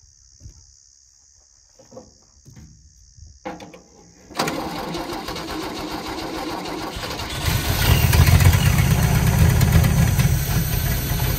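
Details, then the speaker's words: 1976 HX Holden Ute, starts straight away after turning loose distributor: lumpy idle with rapid knocking about four per second; exhaust hard up against crossmember, banging on that side. "Banging's the exhaust. Yeah, the exhaust is hard up against the cross member, and yeah, that's the exhaust hitting on that side."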